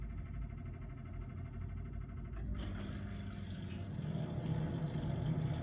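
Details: Combi boiler after bypassing the room thermostat by joining its cut wires: quiet hum, soft whoomp of ignition, steady burner roar building evenly; boiler runs normally, so the thermostat is faulty.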